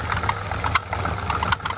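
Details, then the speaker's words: Car-washing water pump running on a very hot electric motor: steady drone with irregular sharp knocks and jerks about every half second. With the belt removed the motor runs quietly, so the knocking is from the pump, bearing suspected gone. "ये देखो तो भी झटका मार रही है, ये देखिए इसमें आवाज आ रही है, देखो आवाज आ रही"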